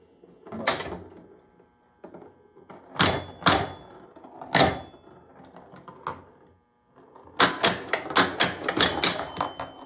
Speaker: You can hear that one chime is really loose because you can hear that wire that holds it together vibrate around in there.